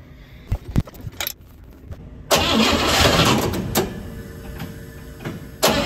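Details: 1957 Pontiac Star Chief, first start after sitting over 10 years, after fuel pump refitted and fresh fuel added: starter whirs, engine catches and settles into a steady, even idle with no misses, running healthy now.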